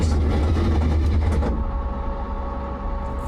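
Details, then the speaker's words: Kalyn's 1000HP AWD Honda Civic hatch, recently fitted with a new head gasket, makes a heavy, fast, uneven rumble that suddenly drops away; they suspect the flywheel, cause unconfirmed. "fuck was that? That don't sound good. Dude, I think the flywheel or something."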